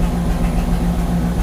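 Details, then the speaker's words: 1969 Chevy truck carburetted V8 after carburetor priming, first start: deep, steady, even idle on its own with no misses or hunting, running far better than before, before warm-up and carb tuning. "oh yeah and it's idling on its own oh I can't believe this this is that is going to be absolutely awesome if I can get this thing to run for a that already sounds like it's running better 10 times better than it was"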